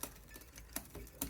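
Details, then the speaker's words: 2014 Boardman FS Team 650b mountain bike with a new chainring, 29er forks and brakes disconnected: sharp uneven clacks about every half second over a quiet freewheel. The owner hears the gears jumping and clacking and thinks the brake disc is also clicking against the wheel. "Something's wrong with the gears. You can hear that jumping and clacking."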